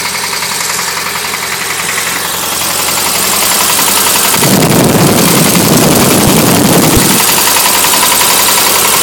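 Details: VW 1600cc air-cooled flat-four that overheated, idling then revved: a steady rhythmic rod knock that keeps time with engine speed.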